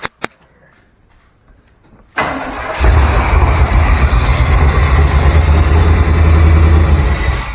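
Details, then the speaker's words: Chevy C10 short bed truck, parked 16 years. A couple of pops, then it catches and runs rough and loud on fluid poured into the intake. Owner unsure the fuel pump works or gets power through messy wiring. "all right well she runs you put a little stuff in the tank i'm still not sure we have a fuel pump or that we have the fuel pump being told to turn on"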